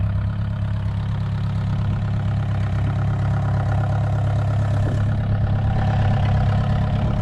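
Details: VW 1.9 mechanical SDI diesel in a homemade mini loader, first start after build, not fully cold (stored in garage): even, steady diesel clatter at settled idle, no misses or knocks; normal healthy idle.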